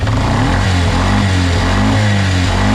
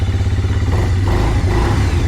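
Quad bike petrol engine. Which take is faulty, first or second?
second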